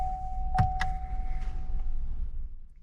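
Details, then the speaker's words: Fuel pump priming for about two seconds after key-on, steady mid-pitched electric hum then fade, on a 6th-gen Camaro ZL1 1LE after six months of storage; zero oil pressure shown before first start; normal fuel pump priming. "I hear some pumps going and what I'm just doing I'm just pressing the the on button now I hear it again I think that's the oil I'm sorry the fuel pump going on"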